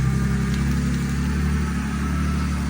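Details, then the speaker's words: BMW E46 wagon, jump-started after exhaust leak repair: steady even low idle rumble with no puffing, ticking or hiss; exhaust sounds sealed and healthy. "Definitely needs some love, but this thing's looking sick. It sounds so good."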